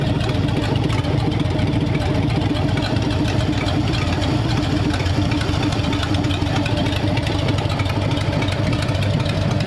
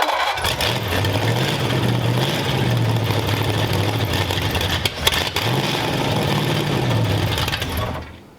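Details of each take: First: Freshly built hopped-up flathead V8 in a 1932 roadster, about 10 minutes into running with valve lash just set and 70 lb oil pressure: steady, deep, even idle with low burble, quiet valve train, no knocks, ticks or misses; healthy. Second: Freshly built hopped-up flathead V8 for a 1932 roadster at first start: catches and runs unevenly, speed hunting every couple of seconds before dying; a rough idle, suspected lean or idle set too low.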